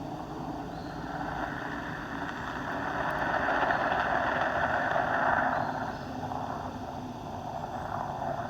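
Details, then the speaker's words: Two-year-old vinyl pool liner with holes eaten by ants, heard through a hydrophone and amplified speaker: a steady watery hiss swelling then easing. Water escaping through a hole in the liner. "so these are leaks I found this one right there right there's a big one there's another one"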